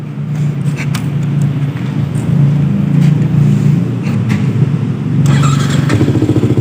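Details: Yamaha R15 V2 with a hard-starting problem blamed on the rectifier regulator: steady, even low exhaust note with small revs and no misses or clatter; bike running normally.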